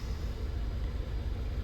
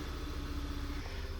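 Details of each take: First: VW Tiguan after head port cleaning, new injectors and water pump, EPC light, low uneven idle with steady stumble on three cylinders; codes show random misfire, cylinder 1 continually misfiring, traced to failed cylinder 1 ignition coil. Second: VW Tiguan that ran on 3 cylinders, after moving the known bad ignition coil to cylinder 2 and fitting a good one: short even low idle with no stumble; normal idle on all cylinders.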